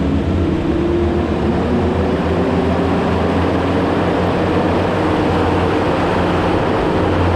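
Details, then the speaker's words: Quick Attach Mega Mower X 72-inch high-flow brush cutter on test run at 30 gallons a minute, lowest high-flow setting, spinning clockwise: deep even drone with steady low throb, no surging or grinding; runs normally. "I only ran that at 30 gallons a minute which is as low as the high flow would go I just wanted to give it a test run just to make sure that uh it's spinning in the direction that I want"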